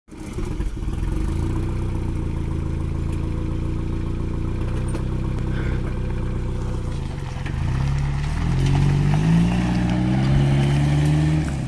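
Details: Toyota pickup 22RTE turbo four-cylinder (T3/T4 turbo, 8 psi, hi-flow cat and muffler) idling and revving: a rough, raspy brrr mostly from an exhaust leak at the wastegate.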